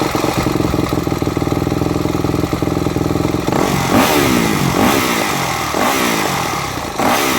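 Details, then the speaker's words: Four-stroke MX bike with Keihin FCR-MX carburetor (e.g. YZ250F/YZ450F), fuel screw leaned down too far: idle sags and stumbles near stalling with irregular sharp pops from the exhaust; pilot circuit too lean. "all right did you notice when it was leaned down too far the bike was trying to die off as well as it was trying to stall quite easily in addition to the excessive popping coming out of the pipe that's a sign of a lean lower circuit right there on your pilot jet or your fuel screw"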